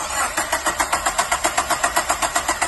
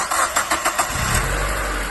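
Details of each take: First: Mazda Miata NB (2nd gen), 25,000 miles: steady, even cranking at about seven pulses a second with no firing. A no-start caused by the failed original Mazda cam sensor, which was then replaced. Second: Second-gen NB Mazda Miata with 25,000 miles, after replacing the original cam sensor to cure a common no-start: five or six quick cranking beats, then it catches at once into a steady, even run. Clean, healthy start.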